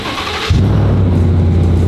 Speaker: Oh yeah, sounds good. Don't hear that out of a Raptor.